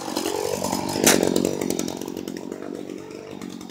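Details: Stihl HS 45 hedge trimmer, cold, after a no-start fault caused by a wire touching metal: catches at once with a sharp buzzing rev, then settles to an even, easing run; starts and runs normally.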